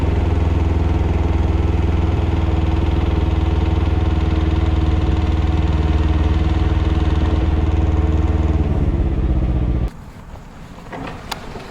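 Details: 2021 Can-Am Ryker 600 at steady idle: rhythmic knock about four a second on the firing beat before the engine shuts off; cause unknown.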